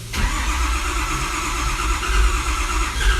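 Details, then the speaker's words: 6.4 diesel cranked on low batteries before teardown: heavy low rumble that spits, hiccups and stumbles, trying to catch but never running cleanly. Cause not determined. "so right now with it spitting like that with it kind of hiccuping"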